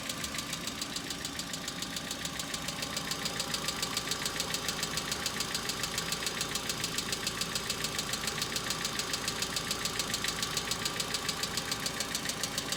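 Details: Hyundai Accent cold start, outside about -2 to -3°C: sharp, regular ticking about twice a second over steady idle, top-end valvetrain; owner attributes it to hydraulic lifters, noting knocks now stronger, longer and recurring, unlike summer.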